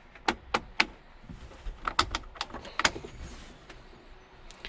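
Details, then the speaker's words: 1999 Jeep Wrangler TJ with blower on: only soft clicks and thumps of vacuum-driven airflow divider moving, no fan rush or airflow; blower motor not running, to be replaced. "You can hear the vacuum moving the divider that separates where the airflow goes, but there's nothing coming out from the blower."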